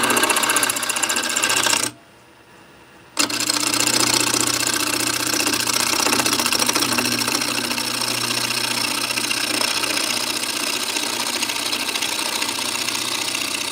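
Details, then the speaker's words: Laguna 12/16 wood lathe turning a bowl at close to 1,000 RPM: the steady cut breaks into uneven chattering bursts, about three a second, as the tool passes gappy voids and bark in the wood. "We're getting into this gappy area. That's why it's making that noise again."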